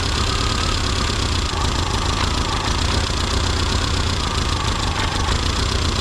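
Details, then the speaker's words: Classic Mini Cooper RSP during tuning, distributor twisted anticlockwise: steady low idle with a dull, labouring beat that sags and won't pick up; ignition timing retarded too far. "definitely slow the engine down okay you can hear the engine not picking up now"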